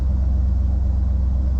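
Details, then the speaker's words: Barn-find 1973 Ford LTD V8 after new exhaust with Speedy 10 mufflers, heard from inside the cabin: deep, steady burble, even and smooth, no rattles or blowing, not too loud; healthy idle. "That's not bad in here at all."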